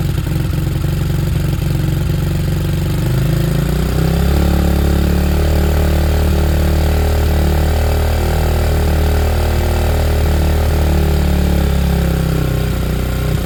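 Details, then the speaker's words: Hanway after a carb conversion, choke off, idle adjusted, on a temporary fuel setup expected to run dry. A steady, even low thrum with no misses or knocks as the single settles into a nice, normal idle. "I'm expecting it to cut out. It's running out of fuel. It's a nice idle."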